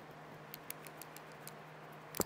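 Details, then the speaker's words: BMW N52 with VANOS fault 2A82: cleaned VANOS oil-screen check valve given a shake test, light irregular ticks as the check ball rattles freely; ball moving freely, pressure-holding test follows. "you can hear it kind of clicking in there but we also want to check that it's actually holding pressure"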